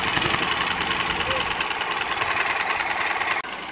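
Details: 6 HP Tohatsu outboard after sitting months: wouldn't start because the fuel pump didn't prime and the carburetor had no fuel; after pressurizing fuel it starts and settles into a steady buzzing idle with even quick beat before cutting off.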